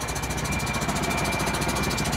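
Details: Cheaply bought used semi truck, diesel, breaking down on the road with little power, a burning smell, smoking brakes and a check engine light: rapid, even knocking about twelve times a second; cause unknown.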